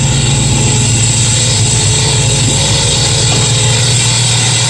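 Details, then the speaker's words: 1965 Mustang with a new GM one-wire alternator on a Ford mount, engine running: steady, high, thin constant-pitch squeal over the idle. The alternator fan is not hitting anything; the belt is squeaking. "turned out the alternator is not hitting anything it's just squeaking the belt"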